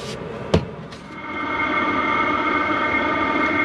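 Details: Hcalory 8KW diesel heater newly installed at an off-grid cabin, running and warming up: steady fan whir with an even, constant tone, no rattles or surging. It is running normally.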